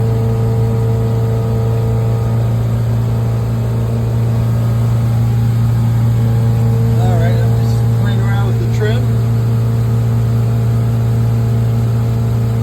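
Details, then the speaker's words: 5.7 L MerCruiser boat V8 at full throttle and planing, after a tune-up (new plugs, wires, cap, rotor, coil) and outdrive rebuild. Deep, even, steady drone with no misses, knocks or surging. Sounds healthy and pulls cleanly: normal running. "sure sounds like a good engine now oh yeah she's uh she's humming she's planing all right"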